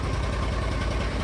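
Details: Argo ATV running after the fuses were replaced, with a new carburetor, fresh oil change and new fuel pump; it had failed after sitting all winter: short, even low idle rumble with no misses or knocks. Normal idle.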